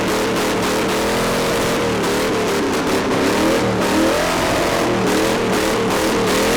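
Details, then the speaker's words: Retired Toyota Camry stock car after a V8 engine swap with Sniper 2 EFI and Hyperspark ignition, just after first start: loud, even V8 burble with small throttle blips, no knocks or rattles, tons of oil pressure; healthy. "Sounds good. Tons of oil pressure."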